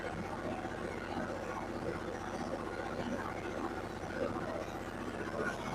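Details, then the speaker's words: Yanmar diesel generator after pre-start inspection, just fired up: even, steady diesel chug at constant speed with no knocking, misses or hunting; running properly. "Okay, so we got it fired up. I'm going to let it run for about a half hour."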